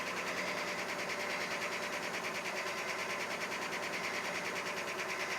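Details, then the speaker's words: 4WD beater truck, cold start at 23°F, oil pressure coming up. A light, quick tick of about three per second rides over the idle hum. The tick has always been there and eases as the engine warms. The truck had an oil leak, now found; tick cause unconfirmed. "It never got hot, but it was leaking oil out, and I found where the oil leak was finally, and it always had this tick in it."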